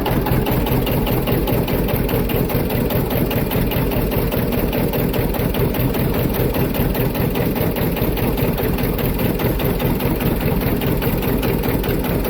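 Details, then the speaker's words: John Deere 730 two-cylinder diesel tractor after a water pump rebuild, pulling with the clutch engaged: heavy, even beat holding steady, no knocks or misses; pulls hard and tight, normal running under load. "It pulls hard. It's nice and tight from that rebuild."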